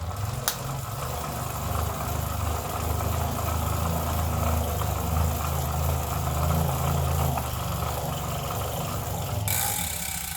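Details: Elite Turbo indoor bike trainer with about 50 hours of use, growing noisier over the last ten, ridden hard: a loud, rough, steady low drone replaces a bearing squeak at speed; loose bearing seats suspected, no shaft play found, cause unclear.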